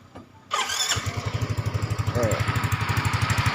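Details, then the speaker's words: Yamaha Mio M3 125 / Fino 125 scooter engine after fitting a Honda Vario 125 piston (code KWN, flatter crown, slightly higher compression): even putter about four beats a second, earlier noise gone, no knock or rattle, some exhaust leak noise; normal idle. "kemarin suara Suaranya berisik ya sekarang udah adem lagi ya"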